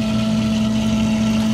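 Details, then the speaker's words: Newly replaced sump pump, just plugged in and submerged: steady, even motor hum with constant tone and no rattle, grinding or surging as it pumps the pit dry, then shuts off: normal pump running. "levels going down it's up to dry and the pump went off this is exactly what we want to hear"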